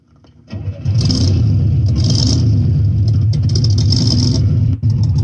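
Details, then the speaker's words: 1958 Chevrolet Corvette 3-speed V8 with 4-barrel carburetor, listening at the exhaust: engine catches and settles into a deep, steady burble with even firing, no knocks or misses; normal idle. "Okay, so there's the engine noise and the exhaust noise."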